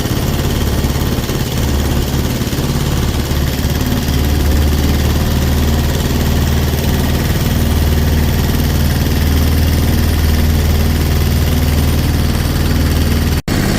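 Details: Sailboat diesel inboard conversion, version 3.0 with a new, longer belt drive, underway on a lake: low, steady chug at even speed with no knocking or grinding. Much quieter with less vibration; running normally.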